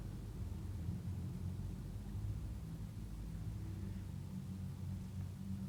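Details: Commercial gas unit heater burner firing evenly while its gas pressure is adjusted down to 3.5 inches of water column: a soft, steady low roar with no popping, fluttering or high tones.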